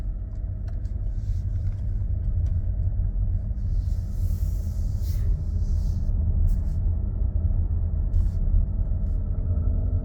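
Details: Nissan X-Trail e-Power: heavy steady low drone, no clear knock or tick, engine unusually loud and rough; loud engine noise, cause not determined.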